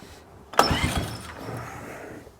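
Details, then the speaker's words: Restored 2003 Honda TRX 90 ATV after new carburetor fuel needle, started on choke: sharp catch then smooth, even idle; normal cold start. "take it off the choke this little thing hers baby sounds pretty good"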